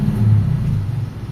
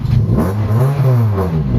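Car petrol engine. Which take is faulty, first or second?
second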